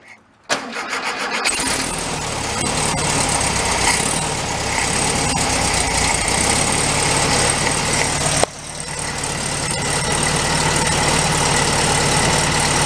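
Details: 1971 VW Bug convertible parked since 1995, first start after cleaning gummed old fuel from the carburetor, on choke: short crank, then it catches and settles into a steady, even chuffing idle with one brief dip, starting and running cleanly.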